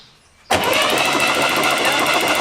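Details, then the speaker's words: Barn-find Chevy Corvair being revived, new ignition parts, spark plugs removed: starter spins engine with smooth, even whir, no knocking, clatter or binding; turns over freely, healthy internally, normal cranking. "so we got rotation everything sounds healthy internally nothing's knocking or clattering or fighting us not wanting to turn over"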